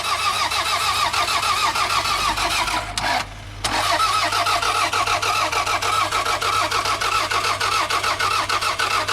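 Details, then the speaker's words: Cheap $500 car with a missing vacuum hose and fuel in the tank: starter churns steadily about three turns a second with a short pause, never firing; cranks but won't start, cause unknown. "Bro, it will go so many more places now that it doesn't start. So that's a bit of a shame. I'm not actually sure what's going on here. It does have fuel in it."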